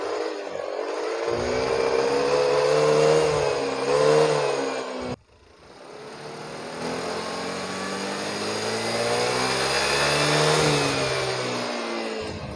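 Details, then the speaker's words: Yamaha Mio Soul GT 125 scooter after TPS reset and O2 sensor fault addressed, previously hesitating and bogging on throttle: revs climb and fall cleanly twice without stumbling; throttle response now normal after repair. "tarikan motor sekarang sudah responsif sudah normal kembali"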